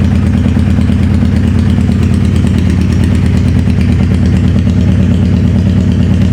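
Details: 2011 Suzuki Hayabusa GSX1300R, wrecked bike with busted stator cover brought in as a no-start, no slip-on exhaust: warm idle uneven and lumpy, stumble about three times a second; one cylinder not firing.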